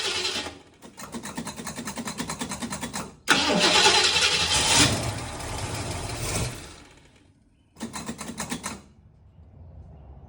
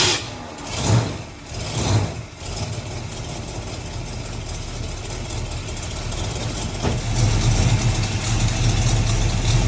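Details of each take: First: Small-block 351 Windsor V8, bored 40 over, mild build, carbureted, cranked with a Trekure TK50 jump starter with gas given; long steady starter bursts never catch, and the unit times out with a red light. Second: Old car's V8 started on a Trekure TK50 jump starter in forced-start mode; a couple of cranking surges, then it catches and settles into a steady deep idle, left running to warm to operating temperature.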